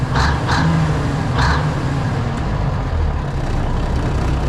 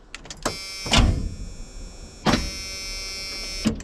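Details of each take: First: Classic White Freightliner diesel truck idling right after a cold start, transmission cold, air brakes frozen: a couple of short air hisses, then a steady, even low idle with no knocks or misses; good oil pressure, healthy idle. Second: Classic White Freightliner truck that sat in the cold: short, labouring starter whirs that die away without catching, a slow, weak crank; owner suspects dirty battery connections and plans to charge the battery.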